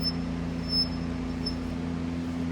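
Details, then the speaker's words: Mototec 49cc 2-stroke gas pocket bike: a faint high chirp repeats about every 0.7 s as the front wheel turns, a squeak usually caused by the brake pad rubbing the disc and fixed with three brake adjustments. "pick that up that noise is obviously annoying and makes you feel like there's something wrong with the bike we're going to go ahead and look at that so more often than not it is caused by the brake pad"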